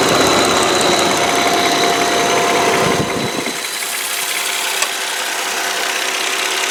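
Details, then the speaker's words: 2002 Volvo S80 sedan, 2.9L V6 at idle, hood open, not revved: steady even idle hum with rough rushing noise in first seconds, no knock or misfire; normal idle. "all right this is a 2.9 L V6 motor um I don't see the little cable to rev it up so what I'm going to do is just be quiet let you listen the motor"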